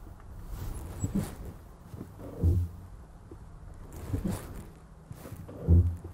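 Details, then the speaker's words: Polestar 1 manoeuvring at low speed with slow, low groaning creaks every few seconds from the brakes. Brake creak at low speed. "When you're manoeuvring at low speeds, the brakes make a weird creaking sound like this."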